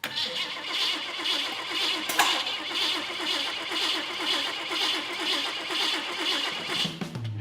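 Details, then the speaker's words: Custom build engine on start after fuel pump install and new wiring, fuel pump heard priming: starter churns steadily at about two turns a second, never fires; crank no start, suspected firing order or spark issue. "I expected this thing to fire right up, just like it did when we first put it in the frame, but we're not getting anything. I say we got a firing order issue."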